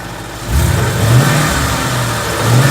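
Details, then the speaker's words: Stock 2014 Ford Coyote V8, 29,000 miles, recorded from passenger side, checking for tick or piston slap: clean rise and fall through revs, no tapping or slap; single click is AC clutch engaging. Sounds healthy. "Sounds healthy to me. We'll see. I've got to listen back to the video, but so far it sounds good to me."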